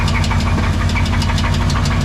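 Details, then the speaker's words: Two-wheel-drive C20 truck restarted at idle after failing suddenly while driving ("kerplunk"); a loud, sharp, regular knock pounds about six times per second. Deep bottom-end knock, sounds pretty bad; spun bearing suspected by others, unconfirmed. "Doesn't sound, yeah, it sounds pretty bad."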